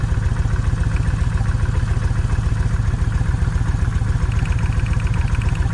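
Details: Vulcan 1600 V-twin with a wet spark plug gives a loose, lumpy, choppy idle near 220 pulses a minute, with one cylinder seemingly missing. The owner suspects the coil or coil wire and swaps the wires to test, not confirmed.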